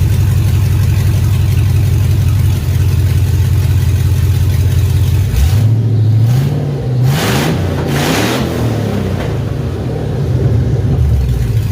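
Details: 2003 GMC Yukon Denali 6.0-liter LS V8, donor engine for a Chevy K20 swap, running with no exhaust: deep, lumpy idle, then a quick rev that climbs and drops back smoothly; loud and throaty but healthy.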